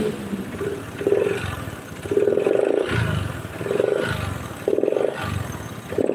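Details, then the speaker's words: Honda Beat scooter spitting oil out the engine breather: engine blipped about five times over six seconds with a rattly knock on each rev, hot; piston slap, likely worn piston forcing oil out, possibly once ran out of oil, teardown planned. "tapi kalau diperhatikan Iki suarane ngletek bagian pistonnya jadi muni nekan oli keluar muni nekan oli keluar terus kayak gitu"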